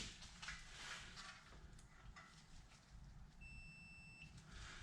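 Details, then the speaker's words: Walker lawnmower with no power: continuity tester gives a clean steady high beep under a second over low hum on a 10 amp fuse; fuse good, all three fuses fine. "That one works as well."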